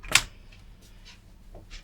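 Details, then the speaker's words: Musicson P-802 1600 W audio amplifier, faulty on one channel, powered up through a 60 W light-bulb limiter: one sharp click then a few fainter uneven clicks; protection relay chattering, possibly from too little limiter power, suspected. "Oh, we didn't like it. I think that's the relay clicking"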